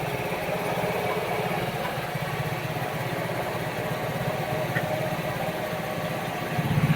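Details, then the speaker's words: Kazuma Meerkat small single-cylinder Chinese quad with a Japanese carburetor, after small screw adjustments: putters steadily and revs cleanly through the full range with no pinging or bogging. "uh so you can hear you're getting a full uh rev range [Music] it's not pinging or walking down"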